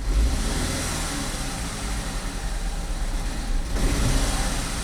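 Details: 2011 Chevy Equinox 2.4 direct-injection engine that stalls when accelerating under load despite new high- and low-pressure fuel pumps, injectors and two computers: ragged uneven rumble and a stumble as throttle comes in, nearly stalling; cause unknown.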